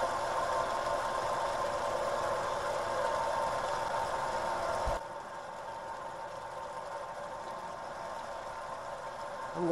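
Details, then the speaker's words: Shallow-well pump in Florida, unused for a year and run on solar power, at its winter start-up: a steady, even hum for about five seconds, then quieter, with no knocking or screech; running normally. "that water run through the pump and tank see if it keeps its prime just let it run for a while see if the uh the well itself the shallow well still has that pocket of water so far it's looking real good"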